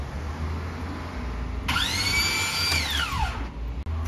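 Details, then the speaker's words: Starter motor that bench-tested fine and started three times, then fault returned: high whir rises then winds down over about two seconds with no engine turning over; starter free-spinning without engaging, cause suspected. "so we go to start it and it's just gonna free spin listen to it"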